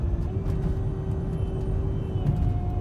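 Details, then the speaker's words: Volvo XC90 V8, fully warm while driving in traffic: a steady mid-pitched whine over road rumble that rises in pitch; cause not confirmed. "yeah see you could still hear the uh the wine even though it's already warm"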